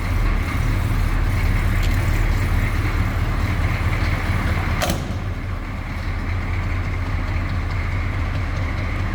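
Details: 1982 Chevrolet C10 Silverado, 6.2L diesel: steady, deep, even rumble holding a constant beat at idle with no misses or knocks; healthy diesel idle.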